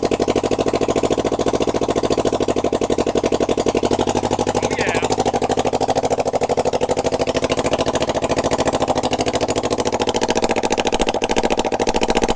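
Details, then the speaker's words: Rebuilt 2007 Kawasaki Ninja 250 twin with a used 1995 head running with open headers, no exhaust, on choke; rapid sharp evenly spaced cracks like a mean lawnmower. Owner suspects worn valves or rich running on cylinder 2. "So it's gonna be loud. Sounds like a really mean lawnmower."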